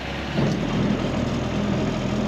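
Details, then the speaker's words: 1962 Ford Falcon after new brakes and fixing a starting problem: steady, even low idle with no knocks, misses or squeals. It sounds better than earlier; normal idle. ">> Oh, that's just that sounds pretty good. Sounds better than there earlier, doesn't it?"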